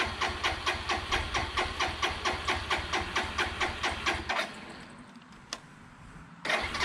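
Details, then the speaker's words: 2002 Suzuki GZ 250 motorcycle after sitting over 15 years, cranking on choke with fuel on in neutral; steady starter cranking at about two compression beats a second, no start; the carb float bowl is suspected to need filling. "All right, maybe give it a second for the bowl to fill. I went ahead and put a little more fuel in there, squeeze the gas line a little bit more."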